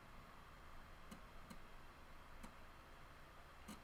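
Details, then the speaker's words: Water-damaged Amiga 600 Panasonic floppy drive, head not moving freely (owner suspects seized motor or old oil): four sharp, irregular clicks over a quiet low hum, stepping but never reading; floppy drive clicking. "I can hear the drive doing something, but it doesn't want to know."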